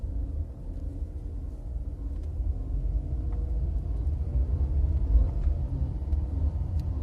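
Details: VW Polo 1.4 BUD engine at idle; low rumble with an uneven, loose beat underneath, strange noise of unknown source.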